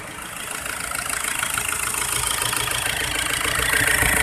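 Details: Isuzu Trooper 4JX1 diesel idling with an uneven, lumpy beat of about three pulses a second and a rattly top end; engine shaking at rough idle, injector problem suspected, not confirmed.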